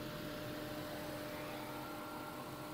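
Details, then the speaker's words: Vauxhall/Opel Astra with fault code P00B3, radiator coolant temperature sensor circuit low voltage, idling with heating and aircon off; steady whirring hum of radiator fan running constantly, fixed by replacing the faulty radiator temperature sensor. "I'm going to start the car at the moment engine management light not on however straightly I identify you can hear fan going on"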